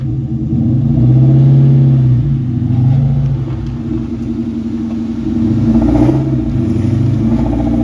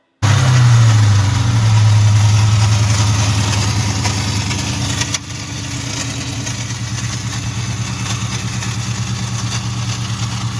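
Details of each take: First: 2001 Mustang GT Bullitt after replacing a broken starter believed to have caused a horrific noise: smooth, even engine note rising and falling with throttle on test drive, no grinding or clunking; normal running. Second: 2001 Ford Mustang GT Bullitt making a horrific noise: a harsh, fast clatter of about three and a half hits a second over the idle. It was first suspected under the valve covers, but it points to a starter pinion not disengaging from the flywheel.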